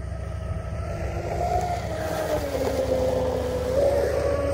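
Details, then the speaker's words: Pro Boat UL-19 30" hydroplane with Castle Hydra XLX2 ESC, Oxidean Marine 4082 motor and SMC 7600 packs, first run after rebuild, batteries warmed up: steady high motor whine climbing slightly at full throttle with no cut-outs. "that was actually pretty nice let's get us a good run in these batteries here are warmed up"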